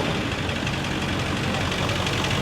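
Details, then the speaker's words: Ford 6.4 Power Stroke diesel, cab lifted, with a bad exhaust leak: steady idle with a hard, rough knocking clatter over the leak's puffing; second noise of unknown origin, oil showing flakes, oil analysis planned. "We had a little noise in that engine. Let's listen to it with the exhaust leak, but we also have another noise."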